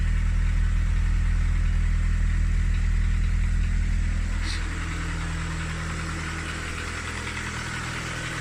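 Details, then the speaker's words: VW Polo 16v parts car for a Skoda Fabia conversion, idling; steady drone with a light, even tapping about two to three a second, apparently from the top end. Ticking at idle. "you can possibly hear the little tap that it's got there that seems to be coming from the top end not too worried about it"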